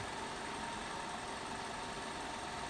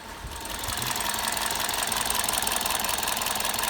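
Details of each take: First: 2006 Toyota Avensis with a P0303 cylinder 3 misfire code, at idle: steady, even idle with constant hum, no stumble; clean coil current ramps, misfire fixed. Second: 2006 Toyota Avensis with P0303 cylinder 3 misfire code, at idle: uneven, hissy stumble repeating a couple of times a second; scope shows shorted primary windings in the number-three ignition coil, new coil fitted.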